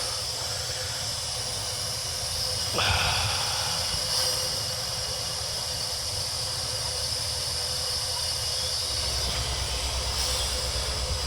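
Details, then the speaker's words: 2003 Chevy Silverado 2500HD 4x4 6.0 with P0300 misfire code, leak-down test, cylinder at compression with air hose: steady airy hiss throughout, air escaping out the exhaust past a burnt exhaust valve. "come up to compression we're both intake valve exhaust valves closed kind of like get this up their house again plug it up to the cylinder we have air leaking"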